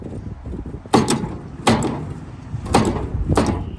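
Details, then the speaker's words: 1938 Dodge truck parked 50+ years, old starter via universal starter switch: four heavy clunks a second apart, no cranking spin; engine seized. "So we've worked that motor around with the pipe wrench a lot, and she's still stuck, so we got some off-road diesel here."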